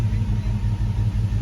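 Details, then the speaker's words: Hemi-swapped Grand Wagoneer V8 after the fix, now on its longest run, oil pressure 50: a deep, even burble with steady pulses and no misses, smooth as silk at a normal idle. "Man, she is smooth as silk."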